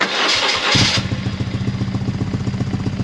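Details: BMW R1100R oilhead after new fuel pump and fuel filter, breather pipes disconnected: starter cranks, the engine catches, then idles unevenly and lumpily with a wavering beat and stumbles; the cause is still unknown after these parts were replaced.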